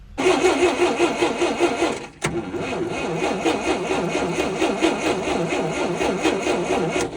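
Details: 1958 Lull telehandler/cherry picker parked 15 years: steady starter cranking, about three turns a second with a brief pause, never catches; spark confirmed at the plug after distributor work, but no fuel reaching the carburetor, so it won't start.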